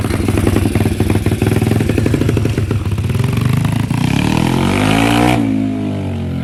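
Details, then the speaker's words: Apollo RFZ 150cc with new PE28 carburetor fitted, air filter on, hose trimmed: single cylinder pops crisply and evenly, revs climb smoothly and drop back clean with no stumble; runs healthy before a road test. "La durite recoupée. Ça fait le travail. Je démarre tout ça. Petit essai sur route."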